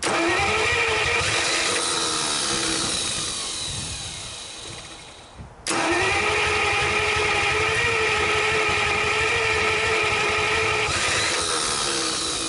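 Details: 1949 Buick straight-8, first start in years, with distributor cap and rotor from a 1950 parts car and gas fed to the carburetor; starter grinds steadily, pauses and cranks again, never catching, cranks but no start.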